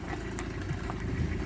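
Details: 2014 Hyundai ix35 with G4NA engine in for repair: steady low idle with a faint, irregular light rattle; piston slap from scuffed cylinders, repaired by boring 0.5 oversize with Teikin pistons.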